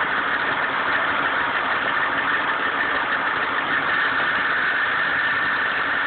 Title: Grinding noise most noticeable on cold start